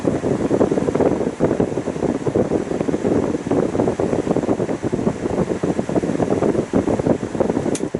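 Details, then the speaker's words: GE All Purpose fan, running on high speed only (low-speed winding burnt out): steady whooshing with faint rhythmic wobble in the airflow, blade slightly off balance; fan blade imbalance. "you can tell that blade is a little bit off balanced"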